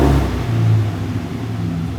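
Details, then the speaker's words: Nissan 240SX S13 after an ECU fix that got cylinder 4 working, with smoke. Revs stumble and pulse unevenly instead of building smoothly; a slight ongoing miss under revving, cause not yet found. "I don't know if it's too loud, but when I rev it, I want to see if it like keeps missing."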